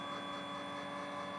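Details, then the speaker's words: RV roof solar panel actuators raising panels to an angle via remote: quiet, steady electric motor hum at even pitch with no grinding or catching; normal actuator operation. "is my solar panels going up to an angle to be able to catch more direct sun rays"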